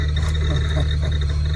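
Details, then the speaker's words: 1991 BMW 850i E31 blower motor: loud steady hum with a constant high-pitched squeal, screaming even when switched off during the drive; blower motor squeal. "It was screaming the whole time I drove over here, even though it was off. So we definitely need to address that."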